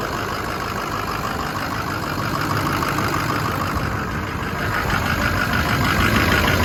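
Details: 2006 Ford F-350 Lariat, 6.0L diesel, 6-speed manual, 4WD, 252k miles, factory head bolts, EGR cooler apparently rerouted, newer-looking turbo: even diesel clatter at idle, about three beats per second, steady without misses or heavy knock; normal idle.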